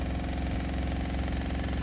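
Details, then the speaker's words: RV fresh water pump with all faucets shut and no leaks found still runs at low rpm; steady low pulsing motor drone that never cuts out; fresh tank overflowed on city water; pump to be removed and replaced. "okay but as soon as i turn this on the pump is going to come on at a low rpm if you can hear that"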